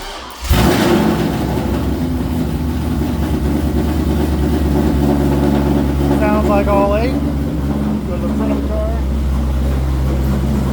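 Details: C5 Corvette V8 after a Time-Sert repair of a stripped head bolt, restarted after a loose plug wire was refitted. It fires at once into a smooth, even idle with a steady low beat, all eight cylinders firing, and oil pressure is good.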